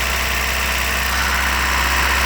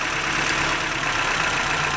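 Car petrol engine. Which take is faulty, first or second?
first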